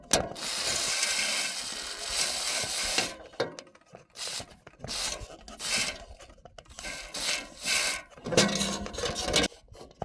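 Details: Roof turbine vent during WD-40 spraying into centre bearing: long spray hiss, then raspy squeaks return as turbine turns; bearing still dry, not yet fixed until top part sprayed.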